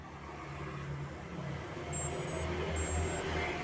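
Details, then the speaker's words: ESC on an MJX Bugs drone being calibrated on a 2S battery: short repeating high beeps, motor silent and not spinning, because the throttle low endpoint has not yet been set to arm it. ESC not armed tone. "suara seperti ini ini ini belum menandakan ee si motor siap jalan nih motor belum berputar"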